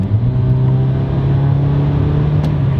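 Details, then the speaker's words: Honda Civic four-cylinder after installing a cheap eBay cat-back exhaust, driving in cold weather: deep steady drone with a mild burble, no pops or bangs; normal exhaust note. "Yeah, it's really neat. So it kind of had some burbles in there. No like pops and bangs or anything like that, but I think I got a burble in there too."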